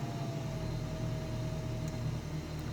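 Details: Toyota Hilux 3RZ engine with intermittent misfire that appears once warm, cold start with light revs: low, even rumble lifting slightly with revs, no skips or stumbles, all cylinders firing. Normal cold idle.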